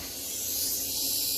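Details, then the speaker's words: PA sound system with music cut off: steady bright frying hiss from the tweeters and sometimes horns, not the amplifiers. "from your tweeters mainly sometimes your horns you know they do that little frying hissing all right i'm gonna show you a quick tip how to get rid of that so when you cut your music off it is silent"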